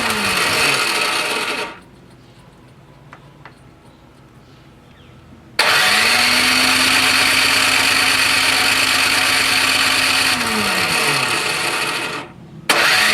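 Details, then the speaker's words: Curbside Toro Power Clear 621E snowblower, 163cc OHV four-stroke single, water in gas, leaking carb: two long starter-whir cranks with no firing; crank no start, spark plug cap found loose, cause unconfirmed. "not even a kick i just put the spark plug cap on a little tighter felt a little loose"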